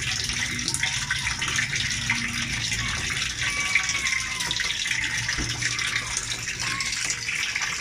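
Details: LG automatic washer after a repair, where water had kept filling and draining out, set to a very low level: steady hiss of water gushing in with no hum, chatter or sputter. A clean, normal fill.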